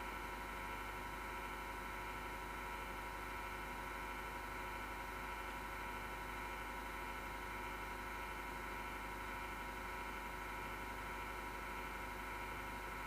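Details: PC power supply fan, grinding since December 2015, with vibration that can be felt: quiet, steady whir with fixed tones and a rough, gritty edge from a worn fan bearing.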